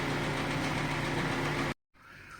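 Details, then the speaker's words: Hyundai Tucson 2.0 engine at idle with a knock complaint: a quick, even knock over the idle; endoscope shows deep scoring on cylinder walls in cylinders 2 and 3, piston slap from scored cylinders. "tuon 2 л стучит эндоскопия двигателя второй цилиндр видим задиры на одной стороне Ну и другая сторона тоже ещё более сильные болезнь этих двигателей задирает цилиндры"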